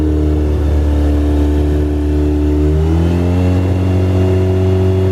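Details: Mazda RX-7 rotary, just started, smoking out the shop: idle pitch sags then climbs again around three seconds, wandering instead of holding steady; idle hunting.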